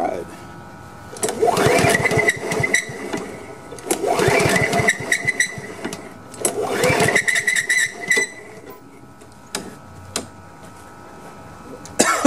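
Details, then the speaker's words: Honda HRM215 lawn mower, choked and primed after sitting bone dry, fresh gas and freshly cleaned carburetor: catches on the prime, runs ragged a second or two, then dies, three times over; fuel not reaching carb, fuel lines and on/off valve suspected (fuel line was clogged). "this is not going to go as fast as I'd hoped I know I put fresh gas in it and I just cleaned the carburetor so what I'm gonna do I need to check these fuel lines from here check the check this on/off valve and make sure there's gas getting to the carburetor"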